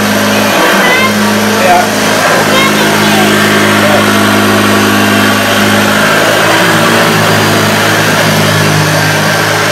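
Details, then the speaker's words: 1976 Hoover Junior U1012/U1016 vacuum after restoration, motor corrected from wrong plastic-fan motor: steady, even low seventies-style grumble pushed around the front room, no rattles or surging; previously really rough, now normal running. "so as you can hear with that we'll know that was really rough saying new blonde sounds really nice now he's got that that seventies deep grumble which is up"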